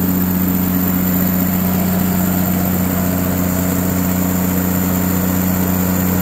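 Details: Katolight 110 kVA three-phase diesel genset running outdoors: smooth steady drone with constant low hum and even beat, holding speed; runs great and came up to temperature.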